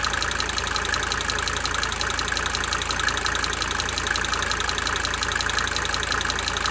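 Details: 1992 Mercedes-Benz 300D 2.5 turbo diesel idling for several minutes, brief talking at start; sharp tick of about three per second over an even idle, fading in and out: cyclic injector ticking at idle.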